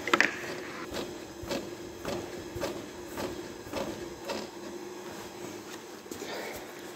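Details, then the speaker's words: 2008 Honda CR-V RE3: rhythmic creaking squeak from the front suspension as the body is rocked; the upper strut mount (support bearing) is worn and was replaced. "случилась такая беда начался скрип передней части автомобиля сейчас покажу как это скрипит и будем заниматься ремонтом погнали"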